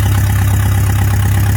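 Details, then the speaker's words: Rebuilt Palmer M60 marine engine, once contaminated by water in the oil, idling in neutral on its shipping cradle with no muffler, only a short exhaust pipe: smooth, even idle with a steady low exhaust beat and no knocks or misses. "and as you can hear she runs really beautifully uh there's no muffler on there no water muffler or anything but i do have just a short piece of exhaust pipe on it and very very smooth"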